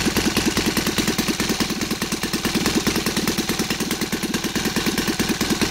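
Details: Saito FA270T twin model engine converted to gasoline with CH ignition, 20:1 mix, TF 20x10 prop, idling with a quick, even popping beat at about 1000-1100 rpm; clean, healthy idle.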